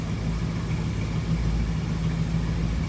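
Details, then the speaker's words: 1966 Ford Mustang coupe, 289 V8, no loud exhaust, idling after cold start: deep, even low burble at steady idle with no misses, knocks or ticks; sounds pretty good, as expected of a 289, healthy. "Sounds pretty good. What you'd expect out of a 289, no crazy exhaust."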